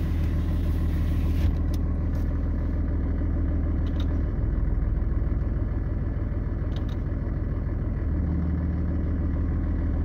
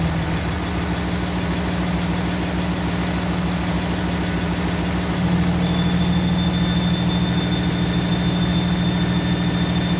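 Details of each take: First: 2007 Dodge 6.7 Cummins after repairing exhaust manifold gasket leak that caused exhaust brake squeal: steady, even diesel idle with smooth low rumble, only a faint tone left. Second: 2007 Dodge with 6.7 Cummins, mic held close to engine: even diesel idle, then deeper note with thin high squeals when exhaust brake engages, louder when warm; caused by exhaust manifold leak.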